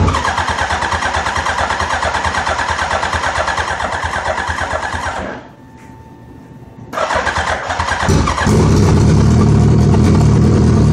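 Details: Suzuki Hayabusa hard starting: steady starter churn about three beats a second for five seconds without firing, pause, more cranking, then catches; owner suspects fuel pressure dropping while cranking.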